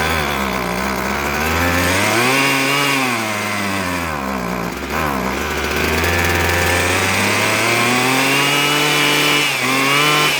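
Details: Husqvarna 122HD45 hedge trimmer two-stroke, after carburetor and fuel line repair for running only on choke, no air filter fitted yet: buzzes cleanly, revving up and down smoothly without stumbling; running properly.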